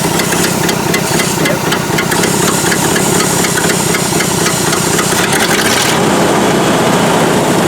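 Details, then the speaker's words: Ford F600 dump truck petrol engine at its first start in years. Carburetor is badly off and it runs with the choke almost fully on. Loud, uneven idle with a constant airy hiss. Owner notes a massive vacuum leak he cannot locate. "carburetor is totally messed up uh it's running with the choke almost all the way on but it never even labored really and pulled right through it so mechanically it would probably do the job got a massive vacuum leak i just can't figure out where it is"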